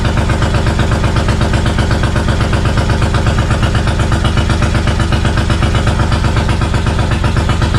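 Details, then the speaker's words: 1999 Suzuki Intruder VL1500 V-twin that had sat unused, fresh gas, choke out, fuel leaking from the carbs: lumpy, uneven thumping at about four beats a second, apparently firing on one cylinder; owner suspects carburettor problems. "she's running uh it sounds like it's running on one cylinder so I'm gonna go ahead and assume there are some things going on with the carb right now"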